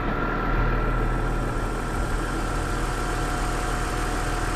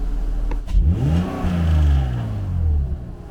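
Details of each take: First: BMW E46 donor M54B30 straight-six, 179,000 miles, warming up at 700 rpm idle on a warm day, no warning lights, partial air filter housing: smooth, even engine note, no knocks or misses; runs beautifully smooth, slight delay before revs rise. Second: BMW M54B30 engine for E21 track car, unused for over a month, air filter box disconnected: intake rush first, then revs rise late and fall smoothly; throttle response delay, possibly from the incomplete intake setup and sensors.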